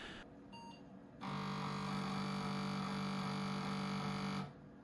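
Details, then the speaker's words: 286 PC with 1 MB memory, accessing 5.25-inch floppy drive A: harsh steady buzzing drone for about three seconds, then cuts off; drive struggling, owner suspects a floppy disk was inserted the wrong way. "So yeah, upon accessing the floppy drive, which is drive A, you get this horrible noise coming from the 5.25-inch floppy drive."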